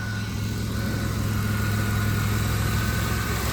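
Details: 2000 Chrysler Town & Country/Dodge Caravan 3.3L/3.8L after serpentine belt tensioner replacement (belt had been shredding): smooth, even idle with a steady low hum and no squeal, chirp or flapping from the belt; noise gone.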